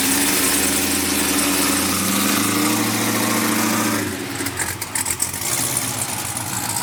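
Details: Brand-new supercharged GM LT4 V8 with CVF pulley kit, swapped into a 1971 Chevy Chevelle convertible with new exhaust: a deep, even idle with a steady low burble and faint supercharger whine, no misses or knocks. Normal, healthy idle.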